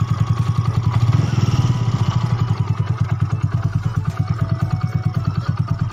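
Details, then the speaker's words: Yamaha Mio bored up to 150cc with new bore and standard carb and valves, fresh rebuild: fairly even low putt-putt idle with a steady beat, no knocks or rattles; smooth, may roughen when hot until broken in. "dan yang masih motor udah halus dan mudah-mudahan juga motor awet kedepannya"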